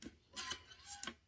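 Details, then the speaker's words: NES cartridge tray after the plastic guide was extended with a rotary tool: two soft sliding swishes down and up, with no click from the metal pin jumping over the guide. "So it's just a smooth transition. Seems to fix that issue."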